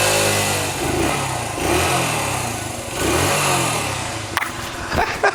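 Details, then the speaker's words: 1980 Honda XL80 dirt bike with rebuilt carburetor, started after five kicks: crisp single-cylinder rises and falls smoothly through throttle blips and settles evenly, no misfire or stumble; sounds like a sewing machine, running normally. "Listen to that, man. Sounds like a sewing machine. What a fantastic little bike."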